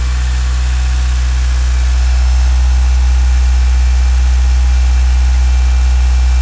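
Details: Mitsubishi Galant VR-4 first start after engine overhaul; smooth even low idle settling in with no lifter tick, possibly thanks to the lifters soaking six weeks in diesel.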